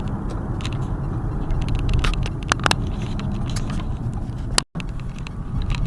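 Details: Car driven after replacing tie rod ends, not yet aligned: steady road rumble with a few light cabin rattles and no knocks or clunks; steering much improved, front end sounds sound.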